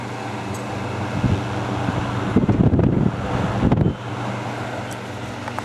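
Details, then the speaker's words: Vintage fan with steeply pitched blades that moves a lot of air; it had smelled like burning in the house: a steady low motor hum with a constant whoosh of air and a few brief bumps; it runs evenly and works well. "this is a really nice fan it works good as I'm about to show you it moves a lot of air"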